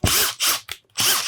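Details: Makita DTW300 impact wrench after repairing locked-up, jammed gearbox: two short bursts of hammering rattle with a gap between; impact mechanism even and strong, working normally.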